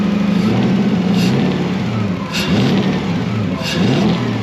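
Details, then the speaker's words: Toyota Celica with a 1UZ V8 on a new ECU: it revs up, then stumbles and drops away repeatedly, cutting out around 1,300 rpm. The owners suspect it is missing on two cylinders, possibly linked to voltage loss. "Actually, Rabbit. this sounds like it's missing two, because it's 2 cycles."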